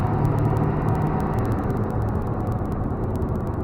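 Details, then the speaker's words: After replacing the failed turbo with a KC Turbos Stock Plus unit (no back pressure valve), a 2000 Ford F250 7.3 Powerstroke diesel pulls hard under load with a deep, steady drone and a short rising whistle. It makes about 28–30 psi boost; turbo spool is normal. "that's about 28 pounds 30 pounds of boost"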